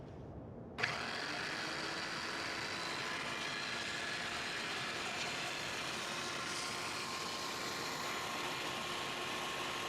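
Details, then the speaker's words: Ridgid tile saw whose motor ran but whose blade would not turn, test-run after new brushes and cleaned gearing. The motor spins up to a smooth, steady hum with an even blade whirr and no grinding: normal running. "hey looks like we got a Sila running all right we got the motor running the blade should be turning"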